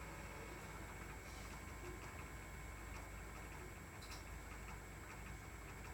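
Faint, fast tick riding over a quiet steady idle with a thin high hiss behind it; some kind of engine tick, cause unclear.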